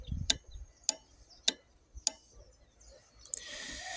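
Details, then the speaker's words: Known-good relay on a relay tester running 20 cycles, from a 2014 Jeep Wrangler no-start diagnosis; crisp, evenly spaced clicks about twice a second; normal relay clicking. "It's going to do 20 cycles. And if it passes all 20 cycles, I'll get a green light."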